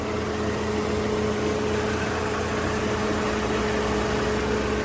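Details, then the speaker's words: Peugeot 307 SW idling after repair: near-broken timing belt replaced, alternator serviced, power steering fluid flushed, charging 14.1 V under load; smooth even idle with a faint steady whine, no knocks or misses, healthy engine and charging. "yang pasti lebih Tenanglah udah dibetulin Udah dicek si alternator udah tenang jadi minimal itu udah tenang timing bel udah diganti udah tenang"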